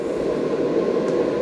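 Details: AC Infinity Cloudline S6 inline duct fan in a 4x4 grow tent at top speed, wide open: steady, even airflow roar with no ticking, rattling or wobble; running healthy.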